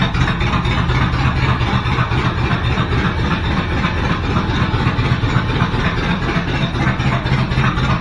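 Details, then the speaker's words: 1986 Chevy Suburban with new exhaust and temporary bullet mufflers, band clamps, no turndowns yet: deep, lumpy V8 idle with loud steady burble and little muffling; too loud, different mufflers needed. "all right guys it's pretty loud so we're going to have to use different"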